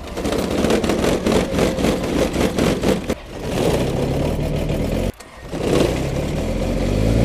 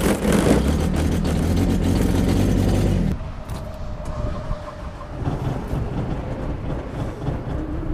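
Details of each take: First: Kubota diesel tractor, cold start in near 0° snowy weather: sluggish, labouring cranking of about four pulses a second that never catches; it fails to start because of a dead battery, not an engine fault. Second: Kubota diesel tractor after sitting overnight in snow, cold start using glow plugs: short cranking burst, fires quickly and settles into an even, steady idle clatter with no stumbling; a healthy cold start.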